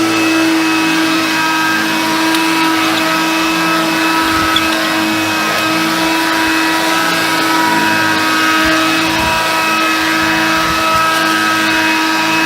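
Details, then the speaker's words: Hoover Convertible/Dial-A-Matic U1124A upright vacuum, after servicing; strong steady motor whine with even brush hum, no rattles, squeal or labouring; judged very good, better than the Concept. Normal running. "fantastic so that is what I would call very good the fact I must say it grooves slightly better than the concept"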